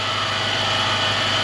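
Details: Toyota/Lexus 3UZ-FE V8, before repair; constant high-pitched whine over a smooth idle, traced by stethoscope to a worn top belt idler/tensioner pulley bearing; noise stops with the belt off.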